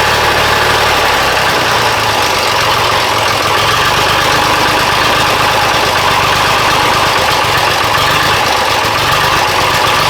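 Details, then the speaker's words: Diesel engine after an injection pump timing check and adjustment for a miss/hesitation, started with starting spray at 46° after running out of fuel: loud, harsh, slightly uneven clatter at idle, better but still rough. May need warming up. "it seems a little better but still not quite there I might need to just let it warm up"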